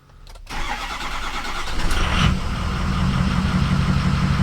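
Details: Ford 6.0 Powerstroke diesel that lost power and stalled at stoplights, after replacing the IPR valve: brief cranking, then the engine catches and settles into a steady, even low idle rumble, so it now starts and runs properly.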